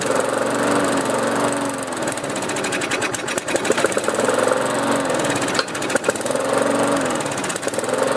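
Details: Lawnmower after fixing hydro-lock from excess oil in the cylinder, started with quick start spray: it runs with a rough, slightly surging beat as it burns off leftover oil, with no knocking. Otherwise normal running.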